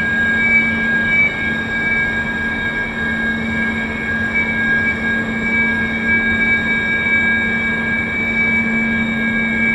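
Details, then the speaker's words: Steady piercing whistle tones over rushing air in a wind tunnel at common gust speed; aerodynamic whistling as air flows through a facade balustrade like a musical instrument, with little vibration and tones changing as the flow shifts. "it doesn't seem to be vibrating a lot to be a erodynamic effect of the air through here a bit like a musical instrument that's creating that noise"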